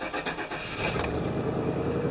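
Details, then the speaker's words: 1997 GMC Suburban after fuel filter and spark plug replacement, fuel lines emptied by pulling the fuel pump relay: short crank, then the engine catches quickly and settles into a steady idle; normal start with fuel delivery restored. "So it's going to take a few cranks now to start up because it's got no fuel in the lines."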